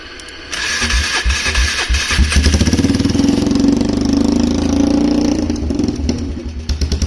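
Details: Polaris Trail Boss 330 quad with no airbox, running with the choke partly on after dying when the choke was turned off: a steady, slightly lumpy single-cylinder run with popping and puffing from the exhaust.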